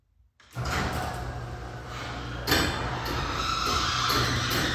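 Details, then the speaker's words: Garage door before installing Green Hinge system and DURA-LIFT nylon bearing rollers replacing hard plastic rollers: loud rumble and rattle while travelling with a sharp clank partway; owner hopes the upgrade quiets it. "So today I'm installing the green hinge system and installing these nylon garage door rollers. Uh because my garage sounds like crap when it opens and closes."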